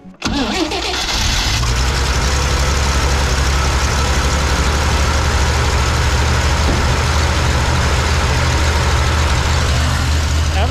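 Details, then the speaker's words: 1968 Jeep J2000 Gladiator, first start on a new carburetor fitted to solve fuel issues: cranks briefly, fires right away though the bowl seemed empty, settles into a steady, even idle with no stumbling; owner hears what sounds like the water pump going out. "the heck does it start that quick there's no fuel in the bowl at all I guess it was just primed and ready to go sure does run good huh runs great runs amazing now"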